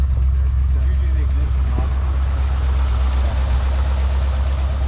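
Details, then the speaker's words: Long-abandoned 1971/72 Ford Mustang V8 at idle, no smoke except under heavy acceleration: steady deep rumble, even firing, no knocks or misses; runs well. "what do you think I think it runs really well I think it's pretty good wow not bad at all"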